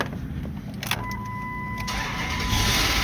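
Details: Dodge Durango with no-crank fault, missing constant power wire jumped directly to low battery: starter whirs, engine fires up then stalls shortly after.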